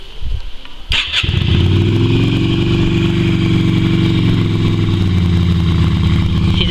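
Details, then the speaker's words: Yamaha Virago XV250 twin after six years in storage, black fuel in its tank, fed from a spare tank with fuel squirted into the air cleaner to prime: after cranking it catches and runs loud, uneven and lumpy at idle. "rough runnin but she's been sitting for six years I've only worked on this so far two and a half days and it's already going"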